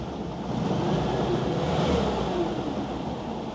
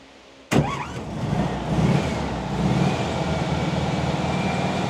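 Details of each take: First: WWII Volkswagen Schwimmwagen after new fuel filter and idle mixture adjustment, propeller engaged and turning: even, steady engine hum under splashing, wind-like background, no knocks or stumbles; normal running. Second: WWII Volkswagen Schwimmwagen engine just restarted after work, air filter off: cranks and catches into a lumpy, hunting chug with surging revs; rough idle because carburettor idle speed and mixture not yet set.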